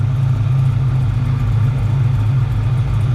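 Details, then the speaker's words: 1978 Pontiac Firebird V8 with small cam, freshly installed, exhaust fitted: deep, steady idle with even beat and no stumble; all cylinders firing per thermal camera, sounds healthy. "actually it sounds pretty good so this is that little cam sounds good in this thing"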